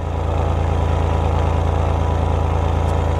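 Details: Denyo DCA-15SS-N genset, 30+ years old, 1.6 L 3-cylinder Nissan diesel (18 PS at 1500 rpm), first cold start in years after glow-plug preheat, no load: steady, regular chug about three beats a second, even; normal cold idle, smoking a little.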